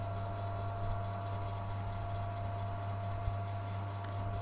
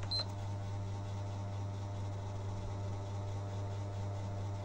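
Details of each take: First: PS3 that made loud vibrating noise and slow loading, after replacing the fan with a salvaged one: steady even fan hum, constant tone, no rattle, scrape or wobble; normal cooling fan. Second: PlayStation 3, noisy and slow loading, dusty inside, top cover off after cleaning: constant low droning hum with a faint rattle; noise traced to the cooling fan, which may need replacing. Noisy cooling fan.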